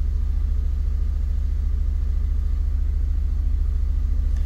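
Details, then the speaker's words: 2002 Fiat Punto 1.2 petrol at idle, engine light flashing, lambda sensor fault reported: deep lumpy pulse about three times a second with vehicle vibrating; misfiring rough idle, cause not yet confirmed. "Vous voyez, le véhicule vibre un peu, ça vibre. Ça vibre, ça vibre."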